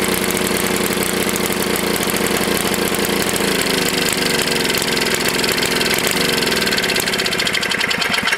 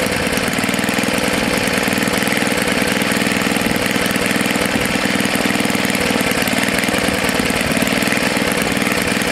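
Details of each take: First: Tecumseh HS40 small engine, first run after long storage and carburetor cleaning: screams at a high, steady speed with a rapid even beat and never returns to idle because the throttle plate is stuck. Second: Tecumseh HS40 4hp small single-cylinder engine after sitting unused for years, carburetor jet cleaned and reset about a quarter turn out: even, steady drone with no surging or hunting; normal running.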